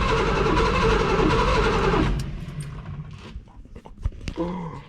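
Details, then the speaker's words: 1970 Ford Mustang Mach 1, first start attempt in 40 years: strong, even cranking at about four turns a second for two seconds; starter spins the engine firmly but it doesn't fire yet, spark unchecked. "but that sounds much meaner much stronger right when it's actually turning over so i'm pumped i'm excited"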